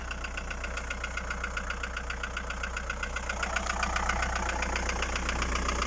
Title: Стук в двигателе Фольксваген Пассат б4, 1.9 td. AAZ Стучат поршня.